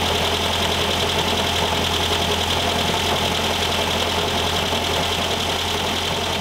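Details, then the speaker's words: 1973 VW Thing type 181, sat for years, first runs after revival: even idle with steady high rattling hiss from the fan shroud; owner feels a foreign object lodged in the cooling fan and plans to remove the belt. "definitely it's in that fan I can feel it so let's take that uh let's take the belt off"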